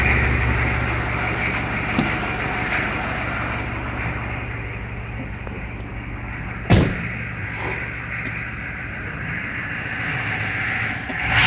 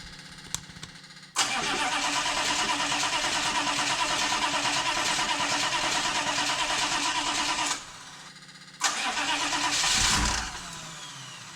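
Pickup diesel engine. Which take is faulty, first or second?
second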